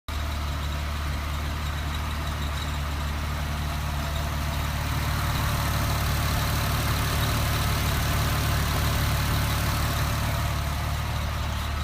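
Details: 2007 Porsche 997 Carrera 4S, engine running steadily with a thin high whine or squeak over its low drone; cause unknown.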